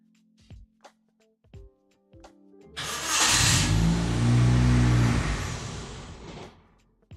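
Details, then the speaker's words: Ford turbo engine conversion swap: cranks briefly, catches and surges, then sags and dies within about four seconds; no idle on its own but runs with throttle; cause unknown, spark plugs suspected. "there you go it dies like immediately after you get it to [Music] run but if I give you gas it will run that's the weird [Music] part"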